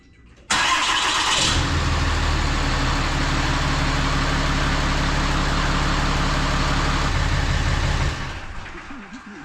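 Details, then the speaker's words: 2018 Ram 2500 Mega Cab diesel, 41,222 miles, 1,206 hours, started right after oil change (12 qt John Deere 15W40) to build oil pressure, cold rainy day: catches quickly into steady even idle clatter, no knocks, misses or hunting; healthy. "Before I change the fuel filter, I'm going to start the truck up and let that oil pressure build up, let everything get lubricated after this oil change."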